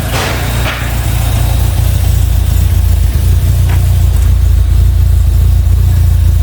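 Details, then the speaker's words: Opel Manta GTE Exclusive, stood for 30 years and running on 30-year-old fuel, starts on the first turn of the key and settles into a cold, deep, steady idle with even firing and no misses. "well I can't believe that literally first flick of the key what are the chances of that wow well they said they don't make cars like they used to they certainly don't make fuel like they used to either cuz that is currently running on 30-y Old [Music] fuel"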